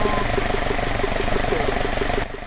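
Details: Alfa Romeo 105 GTV with twin 40 mm Dellorto DHLA carburettors at baseline idle before balancing: steady, even idle pulse with a smooth low drone and no misfires, hunting or knocks; synchrometer reads left 3.5–4 kg/h, right 4 kg/h, fairly balanced.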